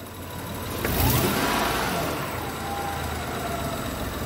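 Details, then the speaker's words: Honda truck with code P0108, after MAP sensor replacement: a light throttle blip during the voltmeter test of the MAP signal; revs rise smoothly and settle back clean, no stumble or misfire, revs no longer rise and fall. Normal revving. "ahorita ya el motor se siente decente ya no se siente que está en la revoluciones para arriba y para abajo"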